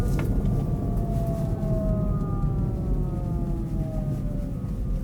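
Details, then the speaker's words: Kia e-Niro driving in about −35°C in northern Finland, battery at −20/−13°C: several tones sweeping slowly down like an air-raid siren over road rumble. Abnormally loud drive motor whine in extreme cold; cause unknown. "oh did you hear that weird noise oh that motor's noisy as hell sounds like a world war two clarkson siren air raid siren"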